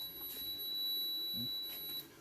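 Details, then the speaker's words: 2009 Hyundai Sonata with dead interior illumination and right rear lights: short-finder buzzer gives a thin high steady tone, then cuts out as the shorted tail light circuit pops the breaker; a 10 A fuse had blown, 5 A used. "you can hear the buzzer turn it on again you can hear the buzzer and it popped it right there you can see it's white i popped it"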